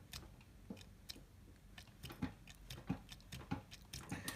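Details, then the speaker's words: BSA 750 Lightning (A70L) motorcycle with low oil pressure, engine stripped, bare crank pushed down by hand: soft irregular dull clunks showing perceptible play in the crankshaft main bearing. "And you can probably hear it going clunk as I push down. So there's play, perceptible play in the main bearing."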